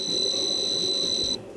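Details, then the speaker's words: Sharp PC-1251 on its CE-125 tape/printer base, saving a test program to cassette: a steady high-pitched leader tone that cuts off sharply, a normal save. "So that'll be the long uh leading tone. The actual program which is longer than I thought"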